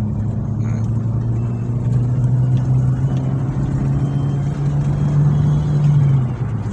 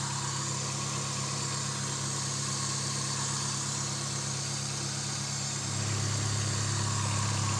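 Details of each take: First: Suzuki Swift held at 4000 rpm after repair of a knocking traced to worn camshaft (noken as) play, shaft machined: smooth steady high drone, no tapping or knock; noise gone, normal revving. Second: Suzuki Swift after the coil cables were reconnected: a deep, uneven rumble at idle with a low throb, because the air-flow sensor, running without a filter, is reading unstably.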